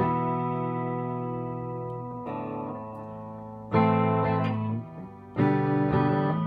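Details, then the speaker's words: Fender Deluxe Reverb 763 tube amp after repair: power supply resistors selected, noisy carbon resistor in reverb section replaced, transformer screw shimmed with washer; clean guitar chords and notes play with no audible hum or artifacts, amp sounds healthy. "that's sounds good good uh no audible hum don't hear any artifacts"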